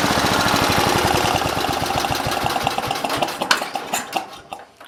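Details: Simplicity 7010 lawn tractor, single-cylinder engine just restarted after head removal and spark plug replacement (old plug sparked intermittently): sharp raspy popping about three a second that slows and dies away; loud open bark from rotted, holed muffler, needs replacing.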